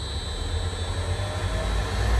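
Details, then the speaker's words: Steady, even low drone with no knocks or surges from a Potain MDT 219 tower crane hoist stepping up through its speed steps to full speed; the hoist drive runs smoothly. "Also, it's the same for the hoist. You can hear that's the first step, if you can hear it, and then second step, third step."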